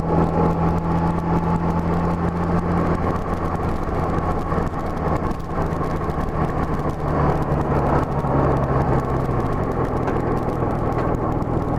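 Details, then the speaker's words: Honda GL1200 Gold Wing after Honda Service Bulletin #10 carburetor kit fixing low-speed partial-throttle hesitation: light-throttle acceleration with steady even drone, no stutter or hesitation; carburetion clean. "I don't know if you can hear that but I was accelerating up just light throttle but it's not stuttering one bit really feels good now"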